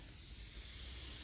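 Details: Homemade boost-controlled fuel valve for a turbocharged bike carburettor, bench-tested on air: steady unbroken high hiss of air leaking past the valve pin, which in use feeds air down the tube to the carburettor.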